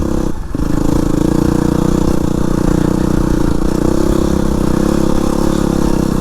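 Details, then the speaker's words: Yamaha WR250R with newly installed Rekluse EXP 3.0 clutch, climbing uphill in second gear without using the clutch: deep, labored thumping at low revs under heavy load; engine lugging, should be in first, but did not stall. "I don't know if you could hear that, but I'm in second gear. I really should be in first because I feel the bike lugging."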